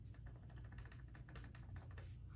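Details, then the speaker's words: PNW Rainier Gen 3 dropper post, about a month old: quick light clicking rattle when shaken by hand, also on bumpy trail off the saddle; manufacturer-recognized fix involves dismantling the post as for a service. "This dropper post is only about a month old and it's developed a bit of a rattle. So when I'm off the saddle and I'm riding and I'm going over some bumpy terrain, you hear this rattle noise, and I can reproduce it by hand if you"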